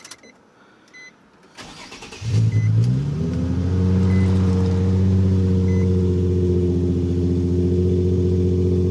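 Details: 2008 Nissan 350Z after fixing mismatched ignition parts and installing O2 sensor: starter whirs briefly, engine catches, settles into smooth, even idle with no misses; check engine codes did not return; normal start and idle.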